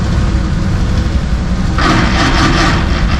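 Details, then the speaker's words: 1966 Chevy C30 manual truck, idling briefly warmed, clutch engaged: a sudden harsh grinding rasp comes in as a gear is tried. Gear engagement noise, likely transmission trouble. Cause suspected, not confirmed. "all right clutch is engaged come on fingers crossed that doesn't sound good"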